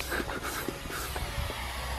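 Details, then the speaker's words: Boost leak test with a bike pump forcing air into the intake: a steady airy hiss with pump strokes behind it, a massive leak at a misaligned intake coupler. "you hear it massive leak right here that is actually good news"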